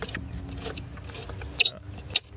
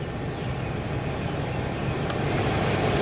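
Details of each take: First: 2007 Nissan Xterra blower motor, removed and turned by hand: handling rattle with two short, high chirps; dry squeak suggests worn, rusty motor bearing, suspected not confirmed; being replaced. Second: 2007 Nissan Xterra with newly replaced blower motor, AC on: even, smooth rush of air with no ticking, squeal or rattle; quiet, normal blower operation.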